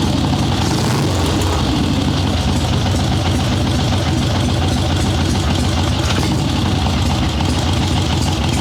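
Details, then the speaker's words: Harley Sportster Ironhead chopper with Mikuni VM38 carb, fresh plugs, cold and wet day, no choke, after starting/idle jetting adjustments: deep, steady V-twin idle with even lope and no misses; takes throttle much better, still slightly boggy at first. "So it is taking throttle way better now. Still a little boggy at first. That sounds substantially better than it did."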